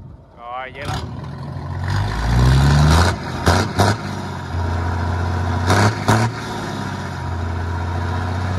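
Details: Hyundai 6D16 diesel, after head retorque (80 then 180°), cranks briefly, catches, idles steadily with clean blips and no knocks. Normal start and rev.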